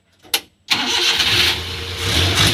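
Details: Suzuki F6A 12-valve petrol engine after cylinder-head work and distributor refit timed with cylinder 1 at top dead center. Brief crank, then it fires on the first try and holds a steady idle with no misfire or stumble; distributor timing is correct.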